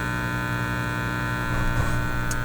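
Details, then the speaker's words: Teletone 67-600E tube record player amplifier, warmed up, on wall power or isolation transformer, plug reversed with no change: steady low buzz with many higher harmonics, unlike low power-supply hum; cause unclear. "it's not the low uh pitched power supply hum it's not that there's too many harmonics in this"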